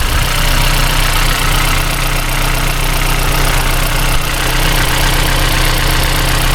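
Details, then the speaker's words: Toyota Celica 2ZZ-GE petrol engine idling evenly with the drive belt removed after a loud chain-like tapping. With the belt off the rattle is gone, pointing to a faulty belt tensioner. "And now that sound seems to have gone. Yeah, now the noise is gone."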